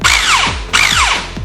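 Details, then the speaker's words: Airsoft AEG M4 with a loose motor plate sticking out instead of sitting flush: two short trigger pulls, each a sharp high whine from the pistol grip falling as it winds down; motor set too low, to be fixed by tightening the two plate screws. "that quick high pitched weing noise uh that's actually coming from the pistol grip and not the body of the gun that means that the motor is adjusted too low so we're going to adjust the motor plates and that should fix it"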